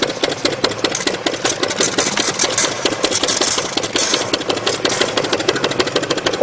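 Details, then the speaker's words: StreetPrint Rapid Sprayer II (RS2) air-driven pump emptying StreetBond coating from the hopper: very fast, sharp clicking at a steady rate with little body, meaning the pump is empty and no longer pumping; running this fast can damage components, so shut the air off. "the pump starts to quick click over this fast if you do want to shut the air off to it it means that the pump is empty it is no longer pumping moving very fast like this can damage components in it"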